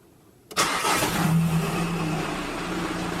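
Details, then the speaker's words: Audi A3 Sportback 2006 2.0 140 hp, engine running: a rough crackling grind when the clutch pedal is released that disappears when pressed, from a worn clutch release bearing; gearbox removed for clutch replacement. "bail comme ça craque j'appuie le bruit disparaît relâche pour l'entente craquer là c'est un bruit normal là c'est un bruit anormal"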